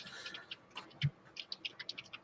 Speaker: The hell is that noise? Why is that thing making noise like that? That's a new one. It's sitting wrong, that's why.